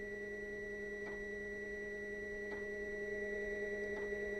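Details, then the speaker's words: Narrowboat Webasto diesel heater running after fuel filter cleaning: soft single ticks about every 1.5 seconds over a steady hum from the fuel pump metering fuel; sounds normal, lots of exhaust smoke outside. "is the fuel pump working. Fuel coming through, hopefully. Not too much air. That sounds good."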